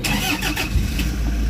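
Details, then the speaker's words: Toyota HiAce Commuter diesel after cleaning the clogged EGR and intake manifold for codes P0400/P0406: turns over, fires promptly, smooth steady idle, no knocking; check engine light now gone. "Okay, so nawala na. Wala na yung check engine guys."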